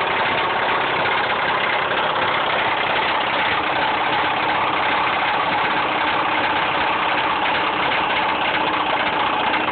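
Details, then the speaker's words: Mazda 6 petrol engine idling with a dense, rattly clatter under a steady knock, typical of rod knock. "This is totally what your car should not sound like."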